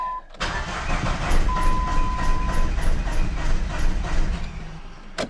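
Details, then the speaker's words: 1995 Plymouth Neon, low mileage, sat long in a garage, fuel pump priming: low, uneven cranking around three pulses a second with occasional stronger beats, never runs; no smoke seen; owner says it's firing on one cylinder; crank, no start. "She wants to start. No ghosts, no type of smokes coming out anywhere."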